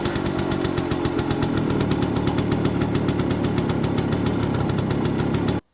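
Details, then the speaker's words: 1969 Suzuki K10P two-stroke single after head gasket replacement and ignition work for intermittent running: fast, even patter at steady idle with no misses or knocks; idling cleanly, though a tinkly noise appeared later on the road. "Which it did. Sounds good."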